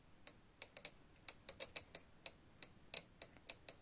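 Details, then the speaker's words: Coaxial relay for HF/VHF/UHF switched by a simple transistor control circuit with a 10K resistor to plus, 12 V measured across the relay; crisp dry clicks about four per second, relay pulling in and switching normally. "you hear it clicking. and when you measure it you measure 12 Volt around the relay."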